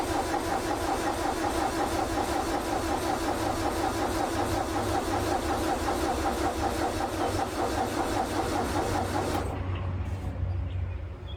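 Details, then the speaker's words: International 434 gas tractor, long unused, after tightening starter wire, boosted questionable battery, fuel added: strong even cranking about 2.5 beats a second, starter healthy but engine never fires; likely needs better boost. "Well, starter sounds healthy enough. Sounds like we need a better boost. This battery was a little questionable."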